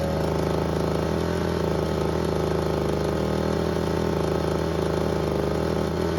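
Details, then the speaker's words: Ryobi two-stroke leaf blower that wouldn't start, after replacing the ignition coil (boot damaged), choke not fully off: starts right up and holds a steady, even buzz with no misses or surging; normal running. "And as you just saw, it started right up as it should have, which meant our gamble to replace the coil was correct."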